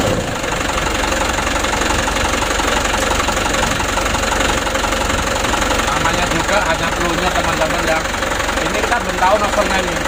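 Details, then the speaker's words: Mitsubishi Canter HD 125 diesel truck (possibly 2025) after Bosch injection pump service and adjustment; steady, even idle clatter throughout, no hunting, misfire or surging, smooth from low to high throttle; normal idle. "dari mulai awal Gas sampai tinggi ini anteng sudah terhitung selesai teman-teman"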